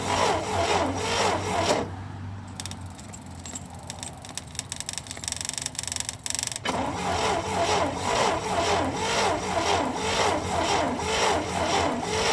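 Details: 1961 or 1964 International Harvester Scout 80 barn find, sat about 17 years or since 1976: sluggish, uneven starter chug at about two turns a second, pausing, cranking again without catching; choke adjusted, fuel pump clicks, battery needs charging. Slow cranking.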